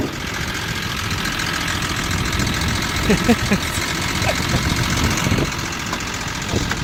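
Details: Volvo XC90, finally running, sounds like a diesel: rough idle with a loud, uneven clatter through the engine note; heavy engine knock at idle, cause not pinned down.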